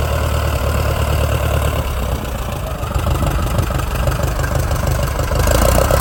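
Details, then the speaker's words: 1946 J-3 Cub engine at first start after a four-year restoration: an even, lumpy low idle that rises smoothly with throttle and never stumbles. Mags and carb heat checked good, temperature a little over 100. Normal idle and run-up. "we got it all running fired off everything there ran great took a minute to get the lines there all primed up"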